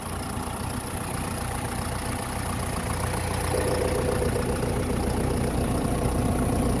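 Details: 2012 John Deere 6230 tractor, listed as running with a bad transmission: a steady, low diesel rumble at idle with an even beat and nothing knocking or missing. The engine runs smoothly.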